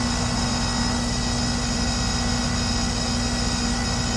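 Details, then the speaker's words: Lennox heat pump running in cooling at about 83°F outdoors, pressures 133/264, 4° superheat, 3° subcooling: a harsh, fixed-tone droning hum over a rough rattly roar, a noise complaint; possibly bad compressor valves, and the compressor is failing. "I don't know if that's bad valves in the compressor, or are we stabilized? I don't know. Doesn't sound good."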